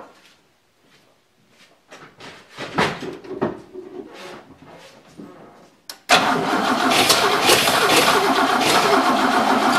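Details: 1963 Oldsmobile V8 just reassembled, gas poured into the carburetor: quiet clicks, then the starter turns the engine steadily at about 2.5 turns a second without catching. The owner says it sounds off and suspects the plug wires; cause unconfirmed.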